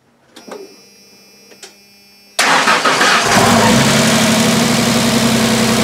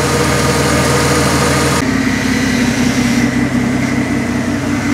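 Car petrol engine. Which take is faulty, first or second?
first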